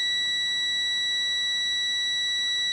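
Continuous steady high buzz, unbroken and even in pitch; the low-air warning still sounding as pressure sits low.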